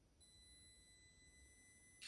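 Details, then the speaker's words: Mini-Z 4x4 with an upgraded PN Racing SCX24 90-turn motor and neodymium magnet swap: a thin steady high-pitched whine for about two seconds with no drive, needing lots of throttle before moving. Owner suspects the neo magnets are too strong (cogging). "there so that's a lot of throttle travel before it starts moving but once you get there you can back off and then really crawl"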